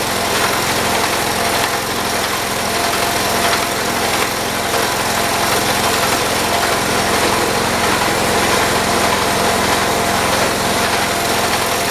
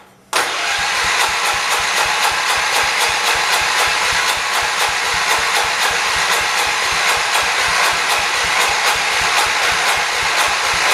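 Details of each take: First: 1978 John Deere 208 lawn tractor, small single-cylinder engine after head gasket replacement, throttled up to moderate and running steady and even with no misses or surging, so the repair worked. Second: 1978 John Deere 208 garden tractor after head gasket replacement; steady cranking about four turns a second but no start, owner unsure whether it picks up fuel from the tank or the choke is set wrong.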